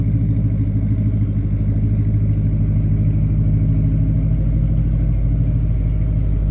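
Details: 1988 Porsche 928 S4 V8 with a rear muffler bypass and new tires, idling with an even, smooth burble and no knocks or misses: normal idle.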